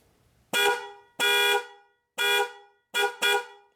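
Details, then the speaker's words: Chevy/GMC truck with 6.0L, horn not working: power jumpered (fused lead from battery positive) to horn relay pin 87 gives five sharp, full, steady horn blasts with clean cutoffs, so the horns themselves are good; fault lies elsewhere. "so when we send power to pin 87 the horn work okay so now we know that our problem is not the horn okay so our horns are good"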